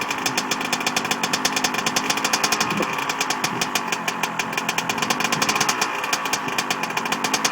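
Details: Two-stroke engine, first kick start after rebuild: crisp, rapid, even popping with steady buzzy exhaust note; fires cleanly and runs smoothly.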